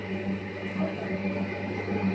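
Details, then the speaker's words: Baymak gas combi boiler in hot-water-only mode drones loudly like a helicopter, a deep steady hum with slow wobbling throb; boiler otherwise works and shows no fault code. "Baybağımız kombimize aşırı derece ses geliyor. Şöyle gösterelim. Sadece sıcak su yapıyor. Helikopter sesi gibi ses geliyor maşallah."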